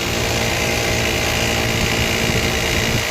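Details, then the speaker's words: 2014 Chevy Suburban, running engine: harsh, constant grinding rasp that holds steady over the idle; failing bearing on a belt-driven component suspected, not confirmed, tensioner and belt parts to be checked. "Here we have a 2014 Chevy Suburban making that noise."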